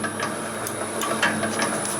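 Quick, regular mechanical ticking and clatter at a constant pace over a steady hum; the crusher runs evenly at its set speed.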